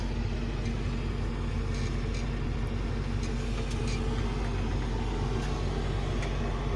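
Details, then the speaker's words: Sany excavator diesel just after start-up, idling about 3 minutes to warm the oil and let everything settle: a deep, even rumble with no knocks or misses; normal idle. "So I'm gonna start it by switching it with, so you hear there is some sound. Yeah, I'm gonna wait for it for like 3 minutes, around 3 minutes."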